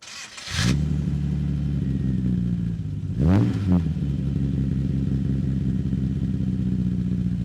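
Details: 1963 Austin Healey 3000 BJ7 Mk II fast road spec, cold start running full rich, microphone at the tailpipe: engine fires and settles into a steady, deep idle with one quick blip; normal cold start.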